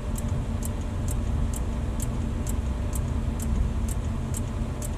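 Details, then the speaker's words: Sharp clicks about twice a second over the idling engine as the test light probes the circuit; relay chattering, power leg reading ground, wiring fault suspected near a main power relay behind the cab. "even hear that clicking or not but basically hmm so neither of these have power these are both ground"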